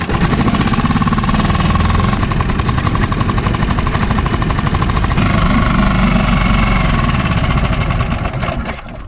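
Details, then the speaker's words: 5hp Mercury outboard reassembled after repair, with the throttle tweaked: a loud, busy drone holds steady without stalling; normal running. "well she seems to be running up to now so I've tweaked throw a little bit and I tested forward reverse put back to just tick over and seems to keep running"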